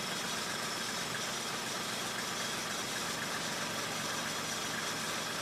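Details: 1995 Mercedes E300 started cold: idles too low and uneven, with a loose, unsteady beat about four times a second instead of a smooth hum. Sounds better when idled up slightly. Rough cold idle.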